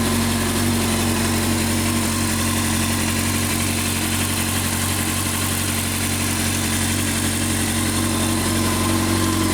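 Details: 2006 Honda CBR600 F4i: steady idle with a light, fairly regular tick about four per second over the engine note; top-end tick of unknown cause.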